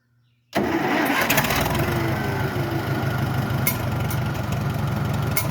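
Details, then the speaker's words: Farmall tractor after a carburetor rebuild, on the kit's initial settings: it fires immediately without choke and settles into a steady, even low idle with no misses; a normal start and idle. "does fired up ni without the choke"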